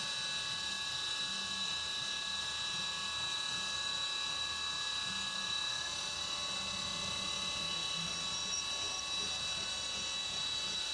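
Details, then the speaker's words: CNC mill on 3D side operations of an AR15 high-rail gas block, cutter on the back side of the part: clean, steady high whine with no rattle or buzz. It cuts without chatter because it is no longer gouging material. "And you'll notice it's not getting chatter when it goes on the back side of that part because it's not gouging any material back there."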